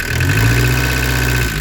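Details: Diesel camper van engine at idle right after refitting a new turbo, running with open exhaust; even, steady low rumble with no knocks or whistles, started first try after preheat and didn't stall; runs smoothly, normal idle.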